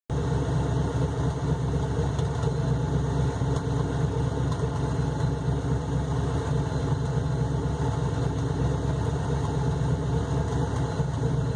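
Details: 2003 Ford Crown Victoria LX, stock: deep, loping, lumpy idle like a hot cam; owner suspects the OEM Ford intake manifold is warped and that no intake manifold gaskets will help.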